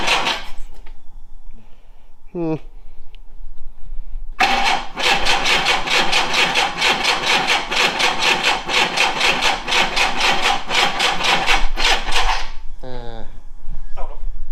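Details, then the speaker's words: VW Scirocco Mk2 Tropic after long storage, fuel pump suspected dead, fuel fed directly by syringe; engine cranks briefly, catches and runs with steady fast beat, shuts down, cranks again; starts and runs normally. "um it seems to run so that means the car's probably all right"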